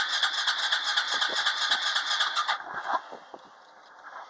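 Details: ATV on a cold start attempt with choke and a little throttle: steady, rapid whirring crank at about four pulses a second, then it stops without a single fire. It cranks but won't start.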